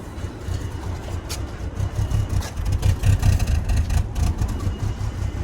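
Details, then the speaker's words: 2000 BMW 328Ci E46 that starts then dies, after cleaning mass airflow sensor and trying without aftermarket part: low engine note surges and sags about twice a second, never settling to idle, about to stall; same issue persists. "i'm gonna try like this and try to start it up exact same issue"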